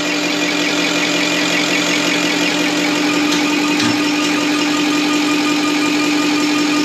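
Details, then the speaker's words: Deutz V8 diesel injection pump from the MAN Kat truck, which could only reach 50 km/h, run on a test bench after cleaning and full dismantling: steady engine-like drone with a constant tone around 300 Hz, no knocks or irregular noises, sounds like a V8 running. "voici la pompe. on dirait vraiment un moteur v8 qui tourne là."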